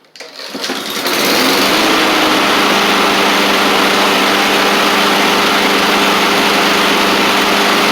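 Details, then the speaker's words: Husqvarna push mower with a Honda GCV160, after the baffle that was being hit and causing the knocking noise was pulled back. A quick pull, then a steady, even, high-pitched run with no clunk or knock. Normal running. "That's what it was, I guess. It's that baffle."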